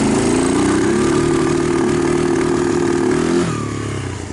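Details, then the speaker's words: 2002 Kawasaki Lakota single-cylinder, warm, after aftermarket plug-and-play CDI replacement, cleaned carburetor and new plug: runs fine under load but note turns ragged and breaks up as rpm climbs from mid range; misfire cause not confirmed. "so it's not bad if it's got a load on it it's just when the RPM come up start starts to have breakup"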